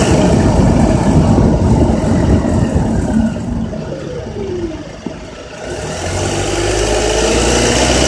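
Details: Honda Accord with K24Z3 engine: revs drop and build again through 2200–3000 rpm with a dry, busy metallic rattle that follows engine speed; cause not identified.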